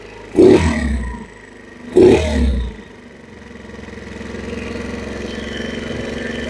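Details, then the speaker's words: 2022 Chinese scooter, no-start traced to a bad carburetor, now running during idle warm-up with the enricher on and idle turned up slightly: two throttle blips, then a steady, even idle with no knocks or misses; normal warm-up. "that should be a good warm up right there turn it up just slightly more during the idle warmup process about right there and then when the enricher comes off it should idle [Music] down about right"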